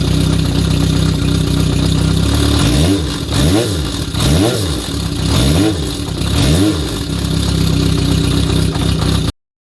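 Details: Kawasaki Zephyr 400 (ZR400C) notch-type cam chain tensioner adjustment comparison: idle with a few blips and a light metallic clatter, possibly cam chain slack; tensioner tightened about two notches. Cause suspected, not confirmed.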